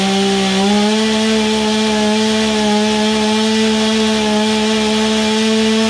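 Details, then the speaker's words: Old, low-hour Stihl chainsaw, just started after sitting, carburetor now primed: steady, high two-stroke buzz that climbs once, then holds an even pitch with no stumble or surging. The saw runs clean. "but begawley i think for a free saw she'll run ain't nothing wrong with that"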